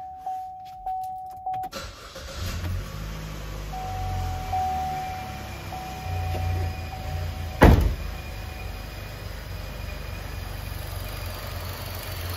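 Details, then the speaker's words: 2014 Chevrolet Cruze 1.4L with oxygen sensor and intake airflow codes just cleared, before PCV kit install: lumpy, uneven, hunting low rumble at idle, engine struggling from failed PCV system. "i mean the engine is struggling and as you can hear the noise [Laughter] okay that's the problem"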